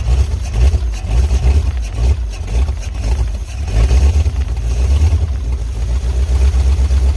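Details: 1951 Pontiac Chieftain first start in revival, no radiator, electric fuel pump on 12 V boat battery, 6 V system: loud, open, uneven idle rumble with puffing pulses, no knocks; sounds like a broken-off exhaust pipe.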